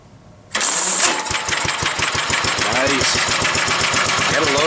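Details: 1945 Gravely Model L single-cylinder tractor starts on its electric starter once the magneto snaps, then settles to a steady thumping run. Warm, it idles smooth with no smoke. Normal start and idle.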